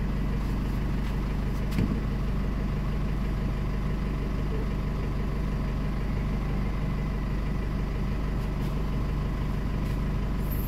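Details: Chevrolet Trailblazer that died while running and restarted after a battery swap, with a charging-system warning; after reassembly it holds a steady, even low idle with a smooth rumble and no knocks, ticks or squeals.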